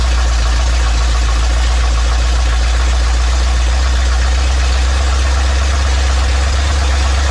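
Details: Big block Ford 460 in a 1956 F-100 on open headers with no mufflers, running for cam break-in; loud, deep, even rumble at a steady fast idle, no knocks or misses; normal running.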